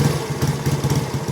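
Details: Yamaha Finn single-cylinder stage-2 53mm engine with cut stock exhaust, checked after a crash: uneven rapid pops and puffs at idle, sounding like backfire or air leaking; cause suspected, not confirmed.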